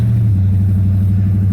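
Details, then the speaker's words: 1999 Chevy Tahoe Limited (OBS) V8, first drive in 10 years after cheap injector fix, driving: deep steady drone with even unbroken beat, no misses or ticks; motor sounds good, normal running. "so anyway guys yeah you can hear the motor sounds good in this thing"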